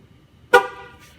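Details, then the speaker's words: GMC Acadia/Chevrolet Traverse/Buick Enclave TPMS relearn: one short horn chirp as the relearn tool is held at the left front tire's valve stem, confirming that sensor was learned. The order is left front, right front, right rear, left rear. "push the button and put the tool next to the wheel once the horn blows that tires learn"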